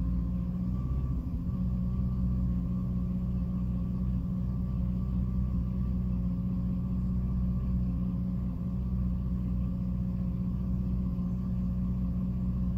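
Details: 2006 Jeep Liberty, A/C off: low, steady idle rumble that randomly dips and stumbles, nearly stalling every so often. Intermittent rough idle, cause not yet found.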